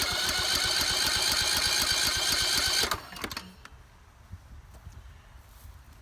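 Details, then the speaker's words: Husqvarna YT 21 HP lawn tractor, battery not holding charge, cranked on a jumper during a compression test: the starter turns slowly at about four even beats a second for three seconds, then stops; slow, hard cranking. "Well, she's having a hard time going over that first."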